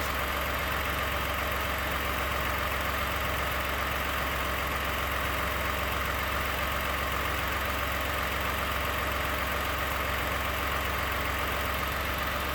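Steady idle with a fast light rattle, about two or three ticks a second over the engine hum; source of the knock not pinned down.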